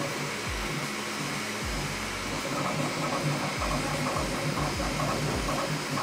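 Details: Bambu Lab P1S 3D printer printing a test cube on the old firmware, before the 1.05 noise-cancelling update: steady fan hiss with soft stepper chirps and short swooping head moves; normal printing noise.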